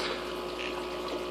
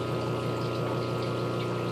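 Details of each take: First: Aquarium air pump held off any surface: soft, steady hum with light airy hiss and no rattle; quiet, normal running, buzzing only starts when it sits on or rubs a surface. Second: Aquarium air pump left to move around until it rubs against a surface: a constant low buzz and hum that keeps getting louder; the fix is seating the pump's rubber feet into a smooth filter cartridge holder.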